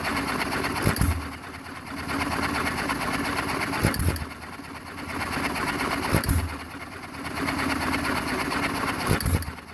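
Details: John Deere 1½ HP hit-and-miss engine, first start after rebuild: sharp firing bang roughly every three seconds, flywheel coasting and clicking between fires; normal, even hit-and-miss running.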